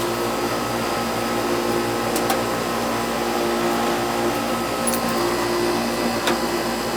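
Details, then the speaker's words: Old Goodman R22 AC condenser with Bristol compressor, running after a no-start service call (capacitor suspected; burnt wire fixed last year): steady even hum with a constant whine and some rattle; noisy but working. "Bristol compressor. Hear the compressor in there? That's a Bristol. Noisy. But it works."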